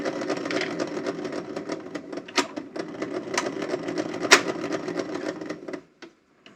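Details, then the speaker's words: Vintage open-reel tape recorder (Aiwa TR-730 or Elizabethan Popular 200), long unused, on 123 V drawing 7 W, no take-up and weak fast-forward: reels whir and clatter unevenly, then the drive bogs and stops on rewind; motor stalling. "it seems to stall the motor"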